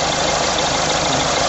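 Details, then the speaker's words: Engine idling while checking the fan belt, tensioner, alternator and power steering pump: even, steady idle with a smooth belt hiss, no knocks or squeals; tensioner not shaking much, everything working correctly. "the tensioner isn't shaking a great deal it's it's telling me that it's everything's wor everything's working correctly on this vehicle great"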